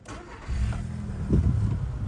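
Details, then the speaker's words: 2008 VW Golf 6 1.6 MPI petrol, 178,000 km, manual: short crank, starts almost instantly and settles into quiet, steady, even idle with no smoke or misfire; healthy start. "завівся з півтику Мотор працює тихо рівно не димить не троїть заводиться гарно як на холодну так і на гарячу"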